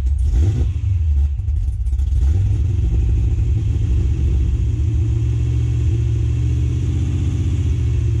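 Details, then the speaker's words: Cadillac CTS-V V8 with cam, abandoned car first start after fuel pump prime: deep even idle with slight cam lope, good oil pressure, no lifter ticking, idles fine off the throttle; healthy. "sounds like the motor's got good oil pressure i don't hear any unhappy lifters or anything all right a little bit of gas we're off the gas now seems to be idling just fine"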